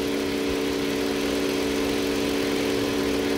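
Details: Toyota Avalon after the number-two cylinder misfire cleared; the cause was a carbon-fouled spark plug. A steady, even idle with a constant low drone and no stumble or skipped beats: a smooth idle.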